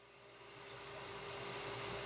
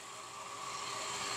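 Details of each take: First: Centrifugal surface water pump running normally at nominal amperage, about 1.5 on the pressure gauge: steady high-pitched hiss of rushing water over a constant mid hum that builds and holds level, within its operating curve. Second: Centrifugal water pump running with valve fully open, drawing about 8 A versus 8 A nameplate: rough, hissing rush with faint steady hum as the pump cavitates, causing motor overheating.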